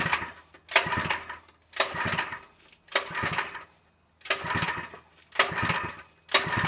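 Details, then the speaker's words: Open-box Harbor Freight 3HP small engine (SKU869733), full of oil, fully choked, no fuel valve found: repeated pull-starts, each briefly catching then dying, never running. The owner suspects fuel delivery since it gagged once with gas poured into the carb. "I was choking the hell out of it. I don't think it's working though. It ain't starting too well."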